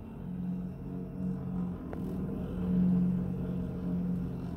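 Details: Roughly 12-year-old Whirlpool fridge/freezer, model 6ED2FHKXRL04, makes a constant low growling groan, like a distant gyrocopter, from the compressor area while the compressor runs. It stops when the compressor stops. The cause is a dry-bearing condenser fan motor.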